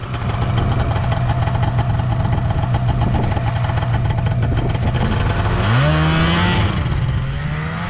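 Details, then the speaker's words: 1979 Ski-Doo Everest 444 liquid-cooled two-stroke snowmobile, first start after 3 years, ridden around a field: steady high drone rising cleanly in pitch as it revs, pulling smoothly; running great. "all right so uh did a little quick chant around the field and uh looks like it's running great so i am confident that this guy is gonna be top shape for our vintage snowmobile run next weekend"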